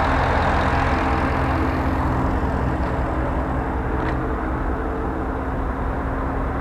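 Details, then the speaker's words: Camaro SS electric cooling fan in a Jeep JK with a GM LS/LT engine swap, ECM controlled by AC pressure, coolant and transmission temperature and vehicle speed, running at high speed: strong, steady rush of air with no surging. Normal high-speed fan. "if you're really pushing the vehicle going up a fly I'll go up to about 60% then from 60% I'll go up to max speed which is 100%"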